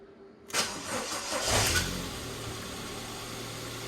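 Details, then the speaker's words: Car's first start after timing belt work and a service, battery just reconnected: about a second of laboured cranking before it catches and settles into a steady idle. Hard start, which the owner suspects is the battery. "well she struggled a little bit to be honest with you but i think that might be because of the battery"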